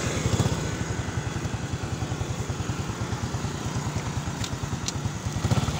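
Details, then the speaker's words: Honda XRM110 after overhaul replacing damaged second gear: even regular exhaust pulses at steady idle, no clatter, whine or gear noise; engine smooth. "yung dating tunog niyo makas sa Pakinggan niyo so ito na okay na itong Ison Ayan okay na yung kanyang makina"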